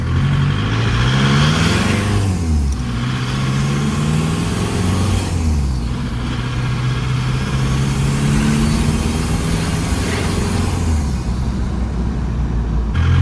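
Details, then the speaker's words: Diesel engine after head work and washer replacement, long hard drive: deep, smooth drone climbing and falling through the gears under hard acceleration, no knock; some blow-by, zero cooling system pressure; running normally under load. "Well, she's got some blow by, but she's not knocking anymore. And I just took her for a nice long hard drive."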